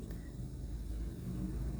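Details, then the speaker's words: Nissan Almera 2nd gen after oxygen sensor replacement (engine had been stalling while driving or in neutral): low, steady idle with aircon on under load, no stumble or dips; scanner live data and rich/lean graph read normal. "okay na okay ang andar kapag meron siyang aircon may load normal Ang Reading sa scanner"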